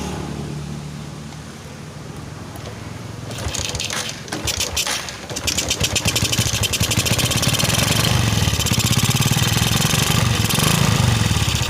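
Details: Suzuki Shogun 125 motorcycle with DC ignition, previously dying from a dropped battery and charging fault, starts and idles unevenly and stumbles from an overly rich mixture, refusing to settle to a slow idle; carburetor inspected and cleaned with no fault found.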